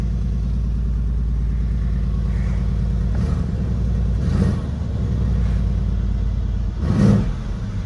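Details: Mercedes CLS 63 AMG at Copart, salvage title, fired right up, low on fuel, tire pressure fault, temperature normal; deep smooth V8 idle with two quick throttle blips rising and falling cleanly, no knocks or ticks, healthy.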